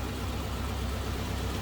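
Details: 1941 Cadillac Series 60 Special Fleetwood, 346 cubic inch flathead V8: low, quiet, steady idle rumble with no ticking or missed beats; engine running smooth and healthy.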